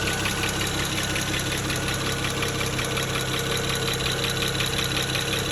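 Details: 2009 BMW 335xi N54 at idle, injectors replaced three years ago with index 12, idling a bit rough with no fault codes. Quick, fairly even tick of about three per second from the top end, unlike the usual N54 tick. Owner suspects a bad injector.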